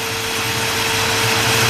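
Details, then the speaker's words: 1957 Chevrolet 210 with 454 big block, headers, MSD ignition, Edelbrock carburetor, aluminum radiator: electric cooling fan running with a steady, even mid-pitched whirring hum over the idling engine; fan sounds healthy. "hear the electric fan running like radiator setup there is the old fan all righty"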